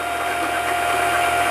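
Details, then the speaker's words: Singer 3252 sewing machine winding a bobbin with more pedal pressure until full: steady, even whir with no grinding; clicking and lagging on the turn signals a full bobbin; normal. "so you'll actually hear it clicking a bit and it's gonna start like lagging on the turn and now you know your bobbin is full"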